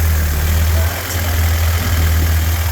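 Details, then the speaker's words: Rebuilt '48 Willys spare engine, warm with thermostat open at 160, 30 psi oil pressure, idling down with a steady, even low rumble, no knocks, ticks or misses; normal, healthy idle. "See if she'll idle down a little bit. Yes, she will. So, this little engine is happy."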